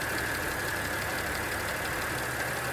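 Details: 2010 Audi S4 3.0T supercharged V6, first start after walnut-blast valve clean, valve cover gasket, supercharger reinstall and coolant bleed: steady high-pitched whine over a smooth idle, one pitch throughout, no leaks; source unconfirmed; whine at idle.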